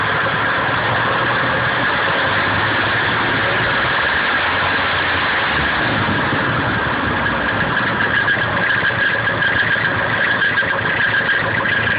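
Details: Nissan KA24DE at idle: constant whirring chatter with faint high whine, localized with a 3/4 inch hose to the front timing chain cover; chain seems tight, owner suspects chain guides, cause unclear.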